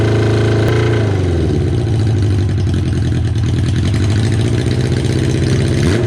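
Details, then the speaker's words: Kawasaki KZ550 four-cylinder at idle after carb work (air screw about half a turn out): idle hunts and stumbles, cylinder number one struggling; a split in the intake boot was then found. "Well, I feel kind of silly for missing that. That looks like there's a uh a bit of a split on the intake boot there."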